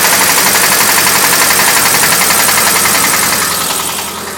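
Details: VW 1600cc air-cooled engine that overheated: loud rattly running with steady rapid rod knock about four times a second.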